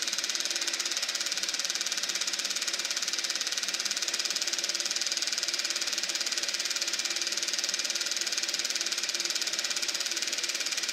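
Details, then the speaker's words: Eberspächer B1 gas heater from a VW Beetle, bench test-fired with hot glow plug and battery charger: steady hiss with fast light ticking near 214 per minute but no settled combustion roar; no steady flame. "Well, I'm not hearing a steady flame in there. I think the battery charger just cut out again. Well, this heater's definitely got problems."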